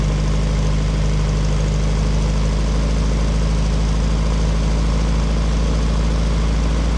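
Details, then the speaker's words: VW Beetle air-cooled flat-four after exhaust leaks fixed and new fuel system and pump: steady even low rumble at idle, no ticking, puffing or rasp; much quieter than the previous very loud exhaust. "it's a little bit more quiet than before before it was just like super draining super loud but we fixed all the exhaust leaks so it sounds good man"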